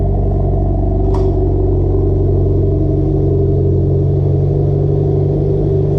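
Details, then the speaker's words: Mitsubishi Evo X with fully built motor and GTX3076R turbo at warm idle with light blip after exhaust leak was welded; deep, even rumble, now quiet and sealed, sounds much better than before. "Welded the exhaust too, so we had an exhaust leak. So that sounds a lot better right now. Way better."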